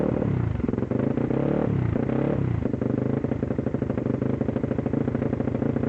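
Engine catches and stumbles, the beat dips and sags in the first seconds, then runs choppy with uneven firing: a misfire.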